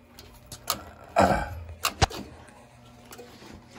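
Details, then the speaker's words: New Yorker steam boiler not heating and overfilling: irregular sharp clicks spread unevenly over a few seconds from defective low-water cutoff (LWCO) blinking and clicking over erratically. "It's going to start clicking over this way and clicking over yep. that way."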